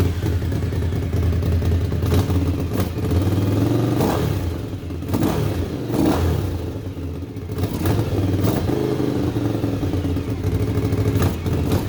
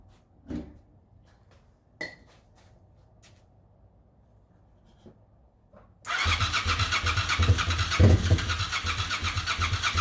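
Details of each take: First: 1998 Suzuki TL1000R V-twin revived after sitting 15 years, fresh oil change and water as coolant, stationary: sharp throttle blips rise and fall cleanly over steady idle, even firing, no knocks; healthy, though wiring issues remain. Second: 1998 Suzuki TL1000R motorcycle, sat 15 years after 2006 wreck, new battery, fuel pump priming: steady starter cranking with a few weak pops that never catch; spark present (carb cleaner in throttle bodies gave pops) but fuel injectors not squirting fuel.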